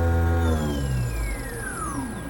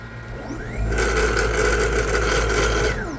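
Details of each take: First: 7.5 kW 6000 RPM three-phase 380 V spindle servo jogging at 5000 RPM with acceleration and deceleration set to 2.5 s: a high, clean whine falls smoothly in pitch as it slows, with no grinding or rattle; it works normally. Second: 7.5 kW 6000 RPM three-phase 380 V spindle servo motor, run from 240 VAC and jogging at about 3000 RPM: whine ramps up and holds a steady hum with a faint buzz, then winds down. The vibration is from the motor touching something.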